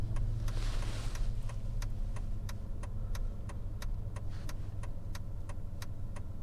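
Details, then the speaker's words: Mercedes S600 W221, M275 V12 bi-turbo, driving after replacing the blown intercooler Y coupler (boost-leak hissing fix): steady low drone at light throttle under an indicator tick, no hiss on load; boost system sealed. "Yeah, it's definitely not leaking anymore."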